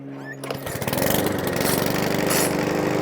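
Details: Mountfield 164 self-propelled mower (same as 414) after carburettor fuel-leak repair, fresh fuel, primed twice: pull-start catches within half a second, then a steady chuffing run with no hunting or surging; normal start and idle.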